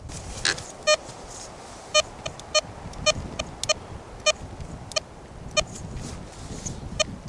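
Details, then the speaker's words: Tesoro Tejon metal detector, negative ground balance, sensitivity not fully up: short clear high beeps over background hiss on a quarter at 10 and 12 inches; clean, repeatable hit, some chatter. "now here's the ton on that 10-in quarter pretty much same thing as the the Caro we're going to going to move down to a 12in quarter which is right here and is hitting it"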